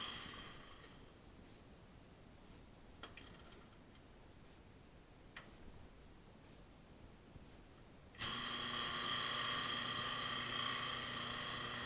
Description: Washing Machine makes noise. Agitates slowly, won't spin.